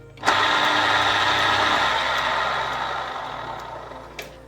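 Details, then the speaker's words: Hurom juicer after repair, weak-magnet cover safety sensor disabled so motor runs without the cover: smooth motor whir comes up at switch-on, holds steady, eases off, no grinding or knocking; running fine. "But now it rotates without this cover. So you have to be extra careful with your fingers."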